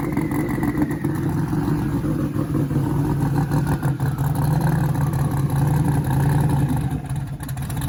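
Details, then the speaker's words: 1956 car's V8 at first fire-up: rough, lumpy idle with an uneven beat and a stumble that keeps it from revving cleanly; a misfire, cause not yet found. "when he first fired it up I'm sure you could hear the uh misfire that it kind of has an RPM um where it like literally just wouldn't RPM so I wasn't lying to you guys when I said it won't run"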